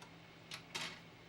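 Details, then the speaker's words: PlayStation 2 disc drive: quiet hum broken by two quick scratchy seeks, then nothing; drive hunting and failing to read discs, same with a second disc. "I hear the I hear it moving like it's trying really hard to read this disc and then it finally just says nope."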